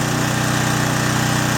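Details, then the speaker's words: John Deere/Briggs & Stratton generator after carburetor cleaning, 1500 W load on the right-hand outlet leg: steady, even drone with a regular low pulse, settling slightly under load but pulling cleanly; normal running under load. "I'm going to use the high setting. 1500 watt setting. You hear it load down a bit."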